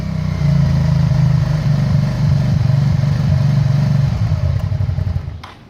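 Cold V-twin running lumpy and uneven, beats stumbling at roughly four per second before dying out; sounds like a cold-start misfire.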